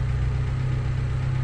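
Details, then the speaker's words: Fiat Tempra idling after worn, too-thin alternator pulley replaced by refitting the old original alternator: steady low even idle hum, no belt squeal or chirp; belt noise fixed, quiet. "O meu antigo desse alternador aqui ó e funcionou perfeitamente aí ó tem barulho nenhum silencios silencioso galera só alegria"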